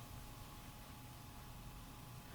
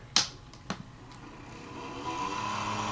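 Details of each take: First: Small 12 V Cooler Master replacement fan in a Coca-Cola mini refrigerator (bought 2011; old fan had become very noisy), wired directly to power: quiet, smooth whir with a faint steady tone, blowing well and fast; fan works normally. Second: Coca-Cola mini refrigerator running on AC, 12 V fan: two clicks then droning hum with buzzy tone, fan failing and slowly slowing down, worn bearing suspected; fan to be replaced with Cooler Master fan.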